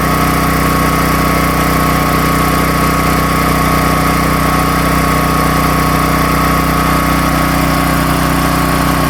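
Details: Predator 13,000 W tri-fuel generator on propane carrying about 15–16 A on a 20 A GFCI at 120 V: steady, even drone with constant hum, no hunting; idle up/down worked, though it drops to about 40 Hz at idle.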